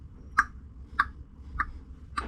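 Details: Chinese diesel air heater installed on a liveaboard boat: soft, evenly spaced clicks about every 0.6 seconds over a low hum, the fuel dosing pump ticking normally after the ignition phase.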